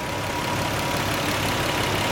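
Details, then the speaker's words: 1990 Nissan 300ZX twin turbo at idle after replacing the PTU to fix a misfire: even, steady idle with no more hiccups, running smooth; slight smoke seen afterwards, owner suspects turbos. "i don't hear that hiccup like i was hiccuping before oh my lord let's see what she sound like man she sounds like she running smooth fellas wow"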